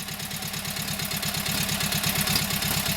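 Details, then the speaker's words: Kohler KT17 twin, first start after governor rebuild: crisp, even beat, steady firing, governor holding speed; timing sounds good, oil pressure about 49–50. Carburetor high/low needs tweaking; plugs seem to work but owner unsure and will replace them. "Timing sounds good. I'm just not sure about those plugs. They seem to work, but I'm going to replace them anyway."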